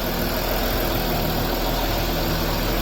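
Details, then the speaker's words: Land Rover Discovery 3 common-rail diesel after replacing a faulty injector that had caused white smoke at idle: steady, even diesel clatter at idle with no misses or hunting; after repeated long idling, not a whiff of white smoke. "It's been idling away for a while now, also been cleaning up, plus all the idling it did before this morning, double checking, so that'll be plus the idling it did yesterday before I called it, and so 3 lots of idling, not a whiff of white smoke."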